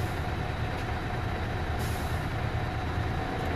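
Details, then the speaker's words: Mercedes-Benz Actros truck with a gear shifting problem, engine started while the button is held down for a gear reset: steady diesel rumble with a brief hiss of released air as the automated gearbox finishes a full reset; normal. "देखेंगे आवाज सुन रहे होंगे कि गाड़ी जो है हमारा gear जो है व रिट हो रहा बम हो रहा है इंतजार"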